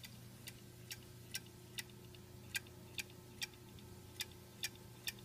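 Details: Xbox One clicking in sleep mode and also while running, with or without a disc in the drive; sharp, quiet, fairly regular clicks a little over two per second over a low steady hum, cause unknown.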